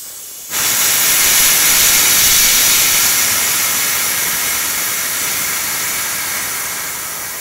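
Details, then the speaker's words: Mantus scuba diving compressor: steady high-pitched hiss as the pressurized fill hose between compressor and tank is bled via its screw, a normal depressurization before removing the fill valve; silence means no pressure remains. "wait all right so now that you can no longer here here the hissing of the air we know there's no more pressure inside this hose"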